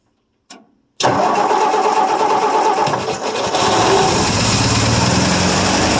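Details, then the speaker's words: 1959 Ford F250 223 (possibly 262) straight-six, cold start after 3–4 years sitting, throttle feathered: silence, a click, then it catches at once and settles into a steady, even rev with no misses or knocks; healthy start. "yeah nothing too exciting for sound but the six cylinder will rig up"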